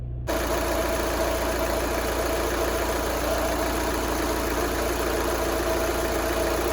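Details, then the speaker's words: 2011 VW Jetta TDI diesel first start after fuel filter replacement, primed by cycling ignition without scan tool: steady, even idle clatter with no misses, knocks or hunting; running normally, leaks still to be checked. "let's see if she starts up happy to hear that now i just need to check and see if there's any leaks"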